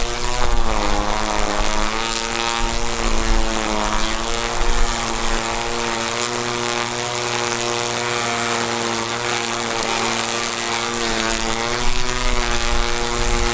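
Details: Ryobi One Plus P2080 18V cordless string trimmer, new out of the box on test: steady high motor whine with clean pitch drifting slightly with line load. The motor runs healthy, but the head wobbles visibly on its single-wheel design.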